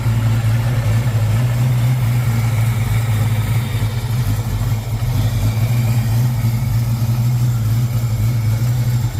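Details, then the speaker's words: 1995 Mustang Cobra, 331 stroker, sat for a while, with good oil pressure and the battery charging: deep idle with an uneven, choppy beat. Lopey idle, believed from a custom Comp cam, not confirmed. "Oh, it does have a custom uh comp cam, I believe. So, you can hear it a little bit."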